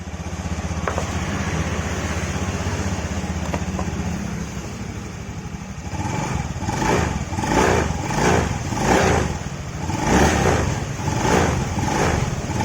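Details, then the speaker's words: Honda Beat FI scooter on the stand, after the worn CVT shaft was replaced (bearings changed repeatedly before): smooth belt whir with throttle; the clatter at pull-away and low throttle is gone. "Oke ya, hilang ya suara kletek-kleteknya. Coba kita tes jalan ya. Setelah kita tes jalan, suaranya langsung hilang ya."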